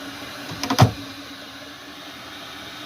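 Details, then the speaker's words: Chinese 8 kW diesel heater in 1986 Fleetwood Prowler 23P trailer, warming up (24 set to 34): couple of brief clunks then steady whoosh and faint hum as fan blows full speed to reach temperature; normal. "now the fan is blowing full speed because it wants to get up to temperature"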